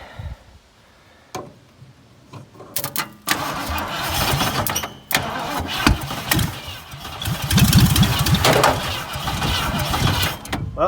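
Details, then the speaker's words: Dirt-cheap Ford Fairlane that sat in dirt, engine not locked, cranked by jumping the solenoid with starting fluid; uneven cranking with sharp pops and backfires, owner unsure of the firing order and suspects a cylinder wired in the wrong spot. "sure trying that backfire might be me having a cylinder and rck spot let's try"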